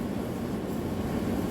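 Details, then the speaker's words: Hotpoint/Ariston dryer after repair of broken main drum shaft that caused friction noise; steady even drum hum, no knocking or scraping, running smoothly. "Here rear cover, everything fixed, no any abnormal noise."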